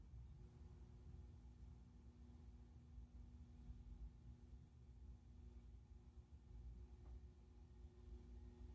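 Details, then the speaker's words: 1942/1949 Hunter R-52 composite ceiling fan, shaded-pole motor, on solid-state speed control: very quiet steady hum with soft constant tones, no rattle or scrape; slightly noisier than with factory speeds but still decent. "Definitely better speeds in solid state. Yeah. It's a little noisier than it is with factory speeds. Not much though. No, it's still pretty decent."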